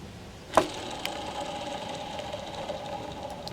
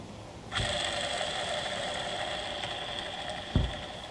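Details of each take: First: Tigershark TS1000R jet ski engine, crankshaft removed for inspection; one main bearing spun by hand: sharp flick then thin grainy whir as it spins down, a rough worn main bearing, described as shot; others vary, rod bearings good. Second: Tigershark TS1000R jet ski crankshaft, main bearing spun by hand: a smooth, quiet, even whir for about three seconds with no grit or rumble. This bearing is good, although several other main bearings are bad.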